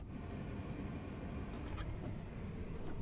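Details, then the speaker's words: G20 Chevy van heater blower after a blower motor fan repair, key on, heat mode on high: a steady, even rush of air with a low hum and no rattles, scrapes or wobble, normal blower operation. "got it in heat mode there you go she's blowing nice and quiet guys I mean you could probably hear it in the camera"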